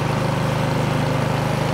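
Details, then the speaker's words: Craftsman snowblower, single-cylinder, cold start via electric start with choke and three primes, choke being eased off one click: steady even fast idle, regular beat, no misses; normal warm-up idle. "she's up and running take your cord off take your choke turn it one click"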